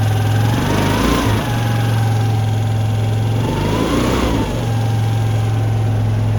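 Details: Piaggio ET4 scooter started after a couple of years sitting, with the fuel changed and a weak battery: the engine idles and blips with a loose, rattly clatter underneath; the drive side and clutch are worth checking, cause not confirmed.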